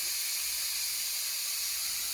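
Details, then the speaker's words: Instant Pot cooking brown rice, a little over 1 minute after releasing the pressure valve: steady, even high steam hiss with no sputter or spitting, still venting while waiting for the valve to drop; normal pressure release. "We're just waiting for the valve to drop. It's still hissing a little bit. And it's been a little over 1 minute since we released that valve."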